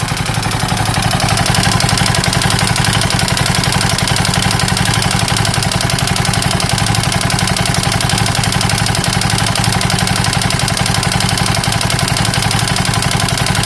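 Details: KTM 640 LC4 big single at idle with a loud, fairly regular heavy knock about four per second; abnormal engine knock, owner unsure whether top end or bottom end.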